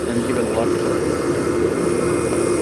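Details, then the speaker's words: Lathe spinning a long workpiece before sanding: a steady hum with a wavering, buzzy chatter on top as the unsupported far end whips. Vibration is worst at that end and mild near the other, so the piece will probably be made into a 6-inch rather than 8-inch shaft. "Hear the vibration up here. Not too bad down here, so we'll probably make it into like a 6-in shaft rather than an 8."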